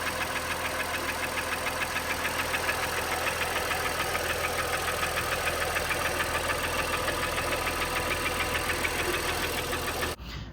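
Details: Honda Pilot petrol V6 idling with a steady, rapid metallic knock; oil analysis showed high aluminum and iron, borescope found heavy cylinder wall scoring and gouging in multiple cylinders, requiring short block replacement.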